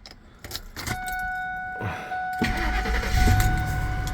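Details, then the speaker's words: 2003 Ford F-150 with a no-code no-start immobilizer, after entering the code and the theft light going out: keys jingle, warning chime, short crank catching straight away into an even idle; normal start. "The flight is gone. Car starts."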